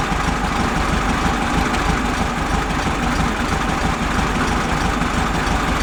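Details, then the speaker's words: 1971 VW Beetle convertible, carb tweaked to idle down and distributor adjusted: low, lumpy idle with one cylinder weak, though revs sound fine. Front cylinder suspected weak despite having spark; valve adjustment or plug wire end to be checked. "I think the front cylinder is not doing much. Don't I don't see much of a difference on that one. Although it doesn't sound bad when you rev it up."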